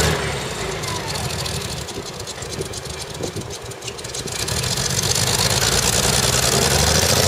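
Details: CVR(T) Striker FV102 tracked vehicle, Aug 2010, misfiring badly: rough stumbling idle with missed firing pulses, caused by a stuck valve; engine later replaced with a spare and then ran fine.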